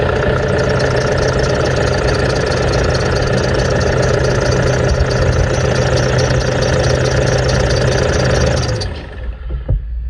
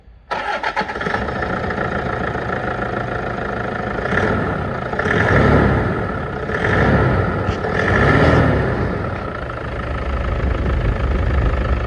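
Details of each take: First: 2008 N70 Toyota Hilux idling: fast chirpy squeal from a squeaky belt pulley, then shut off; belt to be removed and each pulley spun to find which one is squeaky. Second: Toyota Hilux after regreasing the one untouched accessory pulley, which had no grease and was the squeak source: engine cranks, catches and idles evenly with a few gentle revs and no belt squeal or chirp.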